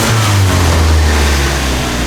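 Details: Four-cylinder with old eBay turbo kit, just after alternator replacement: pulls through a short rev and settles, low note clean and even with no stumble or miss; runs smoothly, 14.7 reading afterwards.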